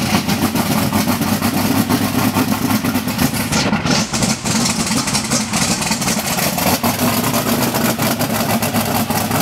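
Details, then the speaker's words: Team Spectre's second, newly installed 484 cubic inch A-fuel engine in the Bonneville car fires up after plumbing and wiring. It gives a loud, steady, deep run with an even beat and no knocks or misses. "Hey, so uh you heard it fire. Sounds good. Smells good. Uh feels good."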